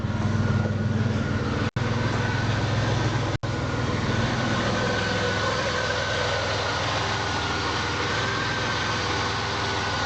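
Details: 1989 Buick LeSabre T-Type at idle: steady, even idle with a smooth low hum and no knocks or misses; engine sounds healthy, car runs and drives good.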